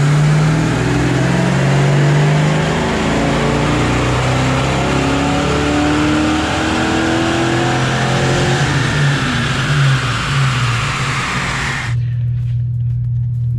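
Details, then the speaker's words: 1987 Saleen Mustang Foxbody on dyno, E85 with bigger injectors, untuned, timing tested at 16/18/20° initial (18° best, 231 hp/275 lb-ft): pulls hard then rpm flattens with rough breaking-up note near the top; power loss at high rpm, valves believed floating. "18s where it is with this setup with the weight to in it right now and clearly the valves are floating"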